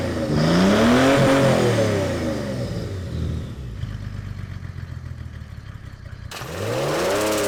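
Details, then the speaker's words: Mercedes S210 OM606 diesel with new HX35 turbo and big intercooler, idle three years: revs climb and fall, each throttle lift followed by rough fluttering chatter as boost pressure reverses through the compressor; deliberate intake restriction causing surge, owner suspects sticking injector. "Donc elle fait le chemin inverse, elle repasse par l'hélice. C'est ce qui fait le bruit de surge."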